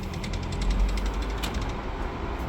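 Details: Worn front CV axle on an Audi Q5, clicking and grinding when accelerating at low speed (15–20 mph), especially turning left; grease leaking from the joint; quick irregular clicks with gritty grind over road rumble.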